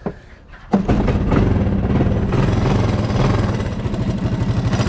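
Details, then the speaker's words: 1985 Honda ATC200M three-wheeler, started on choke: quick light clatter over the exhaust beat, top end noisier, owner suspects it needs a valve adjustment; pull start may rattle and exhaust gasket needed; top-end ticking. "Now this motor is a little noisier on the top end, like maybe it needs a valve adjustment."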